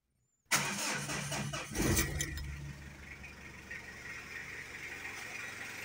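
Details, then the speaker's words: 2017 Mitsubishi Adventure diesel after a DIY timing belt replacement and valve clearance adjustment (12mm feeler gauge, firing-order method): short crank, catches at once, settles to a steady even idle with no knocking; engine is quieter again. "Success! Tapos na natin mga boss ang ating DIY project. Nakatipid ako sa labor at mas tahimik na ulit ang andar ng makina."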